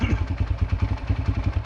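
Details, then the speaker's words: Yamaha TT-R125 dirt bike pulled from a barn after about 10 years sitting, revived and warmed up: steady, evenly spaced single-cylinder putter with no misses or knocks; it idles smoothly while smoking heavily. "Well, listen to that baby just sit there and purr and smoke like a chimney."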